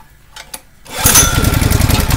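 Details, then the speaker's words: Honda GX160 compressor engine, unused about 3 days, started without choke or throttle: catches within a pull or two and settles into a steady, even putter. Normal cold start. "Oke, kali ini mesin ini sudah tidak dinyalakan kurang lebih 3 hari karena jarang digunakan."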